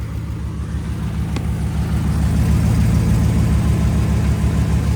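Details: 2011 Ram 1500 5.7 Hemi 4x4 that cranked but wouldn't start for two months despite new plugs and injectors, now running on a temporary fix: steady, even low V8 idle with no misses or knocks.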